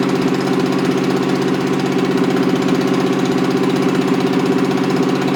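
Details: Toyota 7M-GE engine, rebuilt with valve seats dremeled, run on a furniture dolly out of the car: idle has an uneven loping chuff two to three times a second; number three cylinder is dead, due to leaking exhaust valves.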